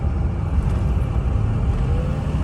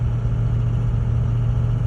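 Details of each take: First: Ford 6.0 diesel truck after cleaning the clogged exhaust back pressure tube: deep, even rumble pulling strongly under load with no hesitation and boost restored; normal acceleration after repair. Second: Ford 6.0 diesel truck pulling a light trailer: deep, flat drone that never climbs with the pedal down, almost no boost, barely moving; clogged exhaust back pressure tube; no boost, bogging.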